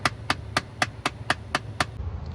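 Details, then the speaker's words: Jeep, key on, heater temperature turned hot to cold: eight sharp evenly spaced clicks about four a second over a low fan hum from a failing blend door actuator, to be replaced. "All right, so we're going to replace that part. Already got it right here, the blend door actuator."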